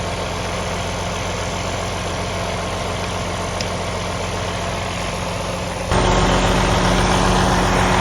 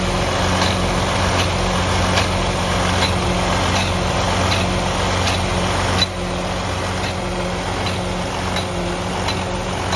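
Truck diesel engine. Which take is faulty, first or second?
second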